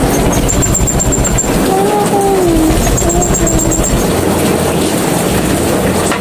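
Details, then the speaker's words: Honda Beat FI scooter with hard starting, finally running after adjustment: loud, ragged, stumbling idle that misfires because the air cleaner is not installed. "ayan ' ba pumapalya kasi wala pa rin kasi yung clear cleaner niya ayan palyado"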